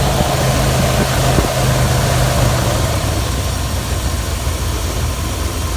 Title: 318 small block and odd squeal sound